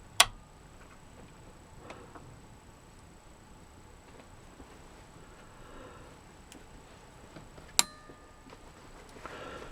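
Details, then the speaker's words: Pioneer SA-8800 Mk2 amplifier after protection circuit repair: at power-on, a single clean click as the protection relay engages after a brief delay, then a prompt click as it drops out at switch-off, no chatter. Normal relay switching. "I shall click it on, and then hopefully should hear the relay come on after a brief amount of time."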